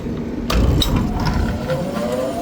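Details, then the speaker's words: Restaurant rooftop exhaust fan, same brand as the other fan on site, is switched on during a service call. A steady low smooth roar climbs to speed, runs clockwise, and operates normally. "So, this fan is the same brand as the one out there. So, that one should be running clockwise cuz that's what way this one's running."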